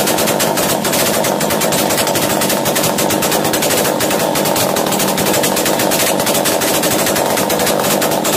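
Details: Chainsaw racing after starting, following carburettor screw tightening during a starting-problem repair: fast, high-pitched two-stroke crackle near full speed with no throttle input; high idle, corrected by adjusting the top idle screw.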